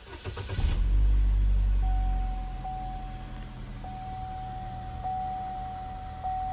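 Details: Chevy Equinox/GMC Terrain (2010–2017) just after intake camshaft position sensor replacement; cranks briefly, catches cleanly, settles into steady even idle with faint constant whine; no check engine light, sounds healthy.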